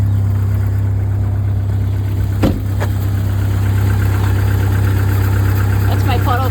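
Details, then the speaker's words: 1999 Jeep Wrangler 2.5L after power steering pump replacement, running on power steering fluid: steady low idle hum with no whine; pump runs quietly, normal operation. "all right so I expect this to wind like crazy and then hopefully not leak keep your fingers crossed thank you [Music] the every member because all right well I don't even hear it whining so let's go out and see if we have any leaks"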